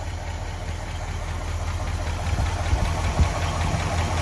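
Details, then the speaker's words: 1964 Ford F-100 custom cab, 292 Y-block V8, 3-speed manual, rebuilt carb, dual exhausts, after a cold start, heard from the front: low, even rumble at steady cold idle, no misses or knocks; normal cold idle. "nice cold star she fired right up and listen to it idle"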